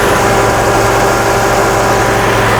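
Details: Chrysler/Dodge/Mitsubishi 2.5L (Sebring) with misfire, pinging, stalling and P0171 lean code; loud idle, uneven beat; crank sensor signal drops out momentarily as fuel trims climb, no fuel system fault.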